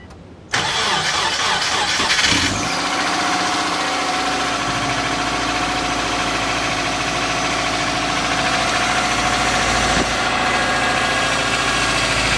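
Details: '03 Subaru Forester, 178k miles, ~150 miles after head repair for a dropped valve guide, cold start: fast light ticking over idle from driver-side front cylinder exhaust valve, clearance .029 vs about .010; adjusting it removed the noise.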